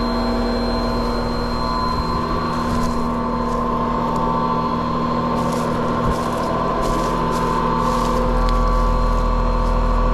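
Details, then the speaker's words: Older R22 Trane outdoor condenser unit, customer reports strange noise: steady loud drone with persistent hum and whirring; condenser fan motor failing, measured over-amping at 1.4 A, to be replaced and charge topped off by subcooling. "all right that sounds like that condenser fan motor is a problem so"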